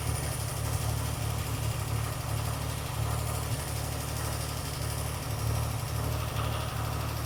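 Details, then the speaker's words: Older car after a carburettor rebuild, running better than before: light, quick tapping comes and goes over a steady idle, loudest up top; top-end knock suspected (tappet or lifter), engine work possibly needed, cause not confirmed. "It's running a lot better. Carburettor work has definitely worked, but it sounds like there's some top end knock."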